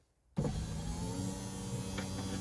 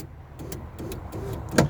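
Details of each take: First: Project Ruby driver's window after silicone on the runner rubbers, replacement regulator, previously sticking and not going back up: steady smooth motor hum with even pitch, no binding or strain; window now travels freely, normal operation. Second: A string of repeated clicks and pops over the motor whir while the glass stays put and the cable keeps moving; the power window regulator cam is slipping through its guide.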